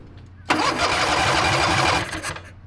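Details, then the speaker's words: Harbor Freight 670cc V-twin (modified, ~55 hp) drag rail kart after years sitting, after flywheel contact with the coils; steady cranking ~1.5 s with no firing, no spark; only half spark on one cylinder, none on the other. "so we messed with this thing for like an hour trying to get it running and no matter what we did we didn't have any spark"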